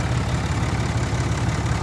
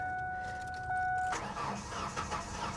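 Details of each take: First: Diesel truck at an auction lot, with check engine, ABS, brake and airbag lights on, alternator charging, likely needing batteries: a steady low diesel clatter at an even idle beat with no misses or knocks. It runs well. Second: Ford F-150 at an Oklahoma City auction, listed as a non-runner, sat a long time with corrosion and a fuel gauge pegged over full, on a jump pack: about three seconds of steady cranking that never fires, and no fuel pump heard. Cause unconfirmed.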